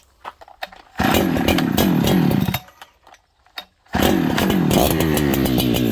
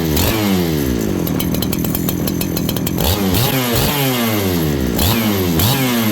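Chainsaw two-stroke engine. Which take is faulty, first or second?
first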